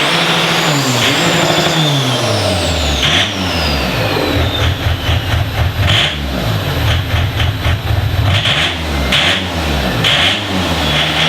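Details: Diesel in a DervBus project, warm, extractor on; low thudding beat rising and falling with throttle blips, settling back without misses — normal diesel running.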